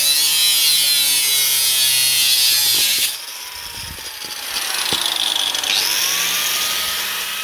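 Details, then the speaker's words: Brand-new Parkside angle grinder on its first use, bushings sparking: the high scream sags and dips under cutting load, then climbs back unloaded as it spits and loses power. Owner blames bushings that aren't right. "So what happens, the drill runs okay, and then as soon as you put anything on it, she's spitting and spitting away and losing power."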